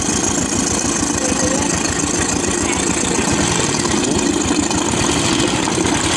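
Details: Royal Enfield UCE Electra (Bullet) single-cylinder after engine-noise repair, with head gasket, head, rocker arms, carburettor and silencer packing refitted: steady even idle thump, no knock or rattle; oil circulation perfect; healthy idle.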